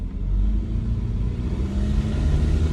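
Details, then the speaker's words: E110 Toyota Corolla with three-speed automatic: deep engine drone with a raspy, puffing edge whenever throttle is applied, from an exhaust leak, a known issue on this car. "i'm sure you can hear every time i give it any sort of throttle whatsoever the exhaust leak sings the song of its people"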